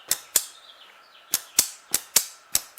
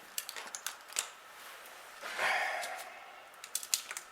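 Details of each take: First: 1938 Buick Special Orpin series-parallel starter switch bench test, wires to battery positive: sharp dry clicks, about eight in three seconds, quiet background; switch activates normally and test light burns. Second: 1938 Buick Special starter motor, no-crank complaint, bench-tested through the series-parallel switch: spins about a second and a half with a harsh gritty whir; suspected worn bearings or bushing, brushes nearly gone.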